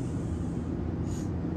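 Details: RV rooftop AC switched on for the first time after installing a Wacko RV AC silencer: a steady low hum with a soft, even fan rush and no rattle or buzz. It sounds noticeably quieter and runs normally.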